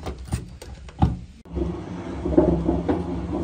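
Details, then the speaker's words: Washing machine noisy during spin: a few loose clunks, then a steady low rumbling drone with a rough hum from the drum bearing area; bearing likely shattered, or the drum may be cracked, to be confirmed on disassembly. "Bakın bu ses rardan geliyor almış İnşallah Kazan Kırık değil de Kazan kırıksa makine çöp onu da açınca anlayacağız"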